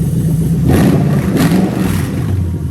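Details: Lexus LS430 2003-2006 3UZ-FE VVT-i V8 on an original harness adapted plug and play to an IS200 manual, during the drive-by-wire test: steady idle, then two quick clean blips up and back down with no hesitation, miss or rattle; normal throttle response.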